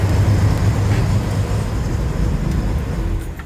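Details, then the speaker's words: 1962 Corvair Monza Spyder convertible, supposedly turbo, air-cooled six idling smoothly after electronic ignition install, oil change and mixture adjustment: low, soft, even burble, no misses or rattles. "It's got a really nice sound. It just idle smooth first."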